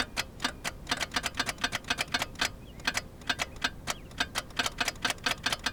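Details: Geo Metro in warm weather (about 65°F) on weak jumper battery packs: fast, even ticking about five per second with no cranking, likely too little voltage reaching the starter. Rapid clicking, no crank.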